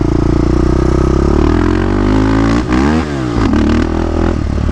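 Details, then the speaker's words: Yamaha Raptor 660 ATV with Lex exhaust after transmission repair, riding: single-cylinder revs up and down cleanly, pitch rising and falling smoothly with no misfire through the mid range; feels good in the RPM range. "otherwise it feels good in the RPM range"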